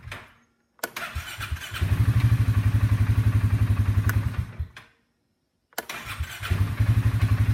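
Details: Engine cranking chugs at about four pulses a second, then cuts out dead and has to be retried, revealing a bad section in the starter.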